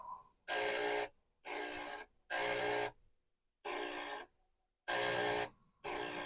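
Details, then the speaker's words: Commodore 1571 disk drive being woken up by a repeated read/write track test: half-second bursts of harsh buzzing chatter as the head sweeps back and forth, and the owner suspects it needs lubrication. "and this does it does sound noisy so maybe lubrication is necessary"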